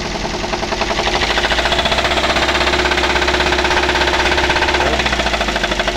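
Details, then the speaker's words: Daihatsu Gran Max petrol engine revved before repair: harsh, rhythmic knocking rattle about four beats a second, sounding as if the engine would break; gone after the repair. "Nah untuk suaranya seperti itu ya teman-teman seperti ee mau pecah di bagian mesin ya"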